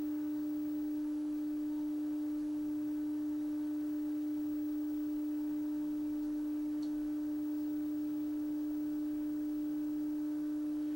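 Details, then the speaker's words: 1960 Sylvania Dualette black-and-white TV: the deflection yoke gives a steady low buzz, 'like a lawnmower', with a compressed, distorted picture; blamed on bad capacitors, needs a full recap. "this is just bad capacitors that's that's it this whole thing needs a bulk recap"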